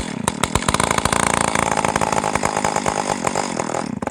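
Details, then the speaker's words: Stihl Farm Boss 028 AV chainsaw from a scrapyard, running with no muffler, bar or chain: loud raspy note, firing crisp and steady without stumbling, engine healthy; piston looks good, needs bar, chain, muffler and gasket. "she runs great all this thing probably needs is a bar and a chain a muffler and maybe a muffler gasket"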